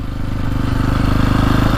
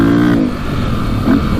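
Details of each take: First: 2002 KTM 400 EXC (sold as a 450), warmed up after a fix for bogging, misfiring and hitting the rev limiter early: revs climb cleanly through quick blips without bogging and now reach the limiter at the right point. Runs normally. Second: 2002 KTM 400 EXC (sold as 450) revved out in neutral: revs climb then cut out and stutter in quick surges near the rev limiter instead of pulling cleanly; plug black, running rich.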